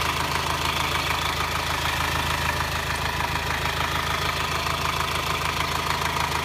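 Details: 2009 Subaru Forester diesel, fast, fairly even metallic clatter (about three per second) only when the engine is hot, at low rpm and when accelerating, worse in hot weather, absent when cold; no smoke or power loss, cause unknown.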